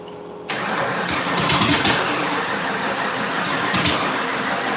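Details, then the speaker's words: 1989 Mustang 351W: engine catches and runs rough, surging without a clean idle. They suspect fuel starvation needing the regulator turned up. "I think we just need the regulator turned up all right it's like it's not getting enough fuel"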